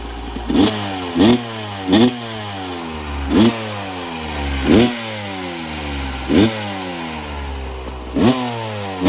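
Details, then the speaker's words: 1996 Yamaha YZ250 two-stroke after carb tune-up with factory stock carb settings (previously weird low-end idle, suspected pilot jet), still a little cold at about 13 degrees: sharp throttle blips roughly every second, dropping cleanly back to steady idle; healthy, responsive. "Well, I'm gonna have to say that was a victory. Sounds a hell of a lot better."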